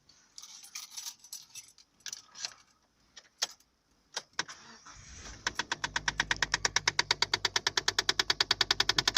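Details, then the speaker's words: 2008 Mazda 2: just after engine start, fast sharp ticking of about six clicks a second from under the dash between radio and glove box, lasting about 10 seconds; also heard when switching recirculation to outside air. Owner suspects heating/ventilation. "this is my 2008 Mazda 2, and I have a little problem with the heating. I think it makes a strange noise at the startup."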